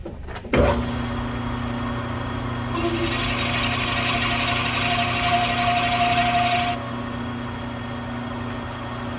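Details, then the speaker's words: Manual lathe cutting radius in reverse on Harley-Davidson FLH belt-drive pulley: steady mid-pitched ring rises over the cutting hiss; tool chatter from spindle speed too fast. "A little too fast, you can hear it starting to chatter there, so we're going to slow this down."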